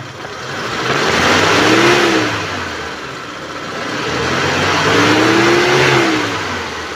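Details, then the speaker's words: 2013 Mitsubishi T120SS pickup, used: engine revved to 3000–4000 rpm twice, tone rising and falling evenly with no knock, miss or rattle; engine sounds normal and healthy. "Dan kita udah naikkan RPM sampai 3000 sampai 4000 ya, dan suaranya mesinnya tetap masih oke, masih normal."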